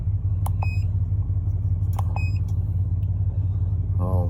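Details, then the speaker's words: 1996 Chevy 1500 4.3 that would start and die, MAF read stuck 0.01: after replacing the mass airflow sensor, steady, even low idle rumble with no misses or knocks, a couple of dash chimes; MAF now fluctuates, fixed. "Mass airflow. With the other one in, it would just read 0.01 at all times. It wouldn't fluctuate or anything. But there it is. She's fixed."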